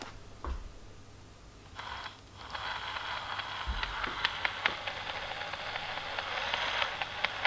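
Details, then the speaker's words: Gmade Komodo GS02 Double Cab RC trail truck, formerly silky quiet: light motor whir with sharp, irregular click-chatter, worse when running and felt through the casing; owner suspects the gearbox, unconfirmed. "my komodo has developed a bit of a click chatter see if i can replicate it on the camera"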